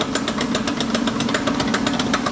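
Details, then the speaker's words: Toyota, likely a Highlander, raised on a lift with the suspension drooping to simulate turning: quick, sharp clicks at about seven to eight a second over a steady engine hum, coming from the inner end of the axle on that side, a failed CV axle. "hear that the sound is definitely coming from this side and and it's coming from that axle right there on the inner side of it"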